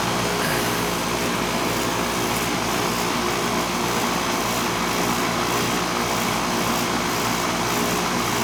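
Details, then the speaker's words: Outdoor central AC condenser on R22 that struggled late last year; owner suspects it needs a charge. Loud, steady hum and rushing fan roar with a harsh buzzy edge. "well that's a noisy bugger"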